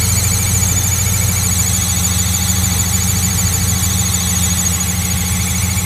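Loud steady engine hum with a constant high-pitched whine riding on top that doesn't change; the source of the whine is unclear.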